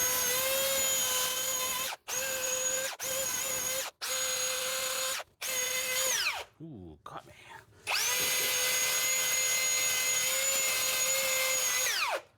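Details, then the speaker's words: Electric drill whining in short bursts with abrupt stops, then a long run that dips and recovers; speed surging, owner suspects the field, not confirmed. "so I was using this drill yesterday and uh when I was using it it decided that it was gonna go like sub a sock of subatomic on me so like when you hear it it goes wave up normal I think it's about the field"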